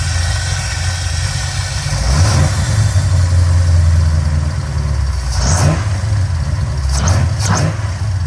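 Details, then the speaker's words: Lumpy, uneven low idle that smooths slightly when the throttle is blipped; only two injectors fire until the gas is pressed because the progressive linkage setting is not enabled; rough idle on two injectors. "So what I'm gonna do, I'm gonna go ahead and start it up, and I'm gonna show y'all that neither, you know, that only 2 injectors work, you know, until you start pressing the gas."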